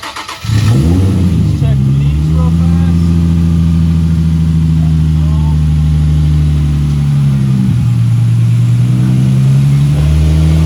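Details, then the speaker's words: Nissan 350Z starting right after Mishimoto oil cooler kit install (sandwich plate, OEM filter) and fresh engine oil: quick catch, steady even idle and a smooth blip, no misses or knocks; no leaks found. "And now I'm gonna just start it up and make sure there's no leaks. So let's fire it up."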